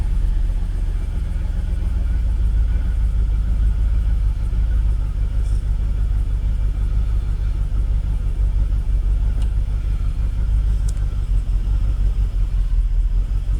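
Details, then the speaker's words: Jaguar XKR (X100) with an intermittent rough idle, tested with a cam cover bolt removed near the cam position sensor; low rumble sagging unevenly as revs drop at idle. Owner doubts the bolt is the cause. "revs are dropping off let's give a bit of throw yeah I don't think it's that Bol"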